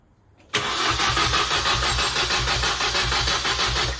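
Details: Mini Cooper S R52 first start after full engine rebuild, battery connected and fuel pump disconnected: steady starter cranking about three beats a second, even and unbroken, never firing.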